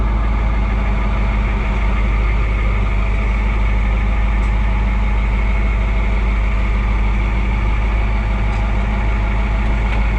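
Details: Oliver 2255 front-wheel-assist tractor on a test run after a service of engine oil, transfer case, front axle, rear end and hydraulic oil: a steady low diesel chug at an even idle with no knocking, misses or rattles. Normal running; owner checks for leaks.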